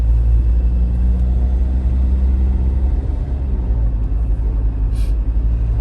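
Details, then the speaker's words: Tata diesel SUV driving after Liqui Moly Diesel Purge injector cleaning; deep, even rumble with no knocking or rattling, engine sounds far better than before, smoother pedal and gear changes; normal healthy diesel. "Engine की आवाज़ पहले से कहीं बेहतर है; पहले यह काम नहीं कर रहा था।"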